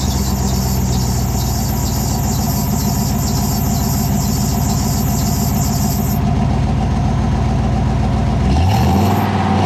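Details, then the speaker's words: 1998 GMC K3500 one-ton dually with 454 (7.4L) Vortec V8, after new custom H-pipe and 3-inch dual exhaust: deep V8 rumble with a high pulsing chirp on top for several seconds; serpentine belt squeal. "well uh minus the belt squeak sounds pretty good"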